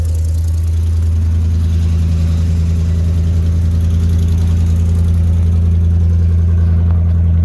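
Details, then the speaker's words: 2009 Ford F350 with the 5.4 V8 at idle on start-up, muffler missing before exhaust replacement: deep, loud, steady low rumble with an open, booming exhaust drone. "So I'll let you guys get a little snapshot of what it sounds like when she's running with no muffler."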